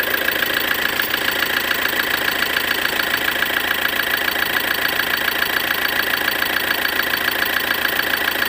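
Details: 2013 Ford Transit 2.2 diesel at a steady idle, with a sharp, even knock about 140 times a minute riding over it. Knock in the engine, source not pinned down.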